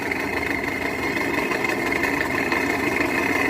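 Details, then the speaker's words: 2015 Toyota Camry 55, 2.5 petrol, Russian-assembled, idling: dry fast diesel-like clatter; noise vanishes when belt tensioner is relieved, so tensioner or alternator suspected rather than balance shaft. "Toyota Camry 2015 года, российская сборка. Двигатель шумит"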